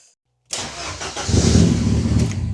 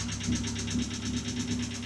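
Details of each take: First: Ford Sierra Cosworth RS under restoration, first start of the session after reconnecting the battery: brief crank, catches within a second and settles to a steady even idle; starts straight away, healthy. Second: Ford Sierra Cosworth RS petrol engine idling after oil change: quick even clacking of about six ticks a second over steady hum, attributed to hydraulic lifters (tappets) re-priming; thinner oil suggested.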